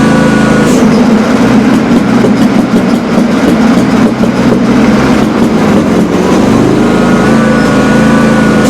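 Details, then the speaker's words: John Deere X300 with Kawasaki V-twin, customer complaint of popping and cracking under load or PTO. Loud, uneven run with irregular sharp cracks and pops over the drone; worse than the day before, cause not yet found. "Now, when I ran this thing in yesterday, it wasn't doing anything like that. It wasn't popping and cracking nearly that bad."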